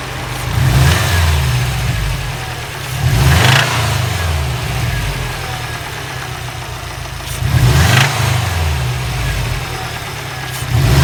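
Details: 2011 Subaru WRX flat-four, 80k miles, Cobb Stage 2+ off-the-shelf tune, catted downpipe and SF intake, revs up and settles to idle with a deep knock; owner suspects rod bearing knock, not confirmed.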